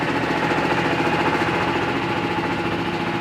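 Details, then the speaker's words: Pluk-O-Trak orchard vehicle, engine running: thin high squeal coming and going over a fast busy engine beat; intermittent squeal that only happens sometimes, cause not yet found. "gesund hört sich nicht an dieses quietschen damit sie mal gucken was und sie hat das ja gesehen das ist nicht immer das ist nur manchmal"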